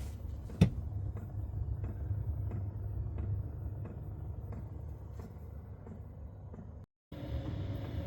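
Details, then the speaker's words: Chinese diesel heater installed in a Chevy Express camper van: soft, regular ticks about twice a second over a low, steady rumble; the dosing fuel pump is ticking normally. "when this thing is running and it's fully pumping the ticks are very slow so it's not like a constant tick um and normally we can deal with it just fine uh no issues there"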